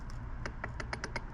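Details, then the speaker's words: Arrma TLR Typhon 6S RC build, setting gear mesh with the motor mount bolts loose: light crisp ticks about five or six a second as the pinion is slowly moved away from the spur gear; this clean clicking means the mesh is correct. "what i'm going to want to do is very very slowly move the gear away until i hear the clicking"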